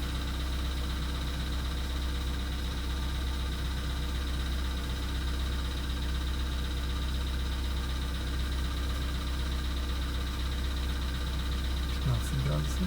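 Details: VW Polo Sedan (CFNA), 102,239 km, cold start at −2.5 °C, not-fresh oil: about two minutes into cold idle, a steady light tapping knock about four per second over the low hum, cause unclear.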